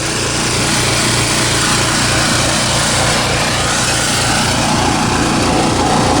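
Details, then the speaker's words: Champion generator, 3–4 years old, over 1000 hours, sat months without fuel stabilizer: fast rough uneven idle, hunting and cycling; owner suspects gummed-up carburetor and old spark plug. "it still starts i just had it running but it's just hunting all over the place can you hear it cycling"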